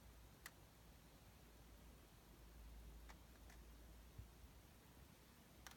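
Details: Sony Bravia KD55X8509C television making faint, sharp clicks at irregular intervals, about five in six seconds, in a quiet room; repeated clicking, cause undetermined.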